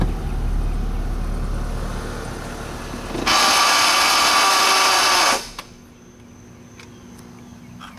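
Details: 2003 Honda Civic engine running steadily, then a harsh hissing grind for about two seconds that cuts off abruptly; grinding from the engine, cause unclear.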